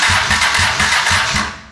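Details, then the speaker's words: Honda Shadow motorcycle that bogged and died after 15–20 minutes running two weeks ago, battery on slow charger: starter chugs about five beats a second then slows and fades within two seconds, no start; owner suspects battery, unconfirmed. "It sounds like it's just dying. Like it's not cranking as hard as it should."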